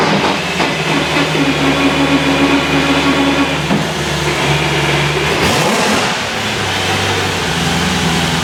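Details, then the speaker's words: S65-powered BMW E30 M3 track car after fitting a Drenth DG500 sequential gearbox: steady engine hum with short clunks and pitch dips as all gears and reverse are selected; linkage works, shifts cleanly, normal operation. "yeah all gears and reverse and reverse the linkage works it feels great"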